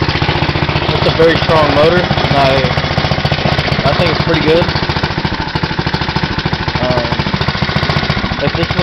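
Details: 6hp Tecumseh horizontal-shaft go-kart engine after a cold start on choke: steady single-cylinder thump about three to four pops a second, even and strong, no misses or knocks; normal running.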